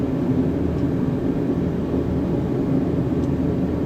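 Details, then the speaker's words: Diesel heater during a deep-clean session, set low: steady, even low roar with no surging, popping or misfiring; burner running normally. "oh, there comes my heater on now. It's a big roar."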